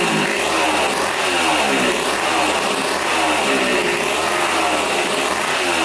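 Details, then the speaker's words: 1980 Honda CR80 barn-find two-stroke, tank cleaned and fresh gas added: crisp, raspy buzz holding an even rhythm without misses or bogging. Runs clean and healthy. "ran pretty good okay I think so"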